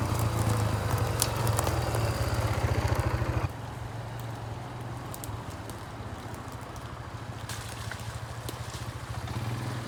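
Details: Barn-find Kawasaki Bayou 220 ATV on test drive after repairs (filthy carburetor cleaned, rear right wheel bearing and seal): even single-cylinder thump settling quieter as throttle eases, no knocks or clatter; running really good, no issues.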